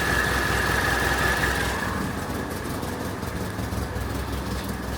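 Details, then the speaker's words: Classic Renault R16 after bottom-end repair for low oil pressure and knocking, oil pump primed, started again on choke: smooth even idle, no knocks or ticks as it warms; normal idle after repair. "that sounds absolutely sweet now don't act like you're not impressed"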